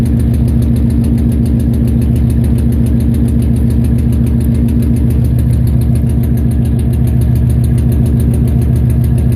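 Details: Nissan VH45DE V8 at idle: loud idle with regular lumpy stumble about three or four times a second, misfire.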